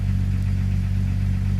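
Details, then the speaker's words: 1997 Jeep Grand Cherokee 4.0 straight six, 236,000 miles, after replacing the ignition coil for code P0351. Deep, even idle with no shaking or misfire; runs smooth, oil pressure seems good. "No shaking, no missing. Everything's gone. Runs like a top. Runs smooth."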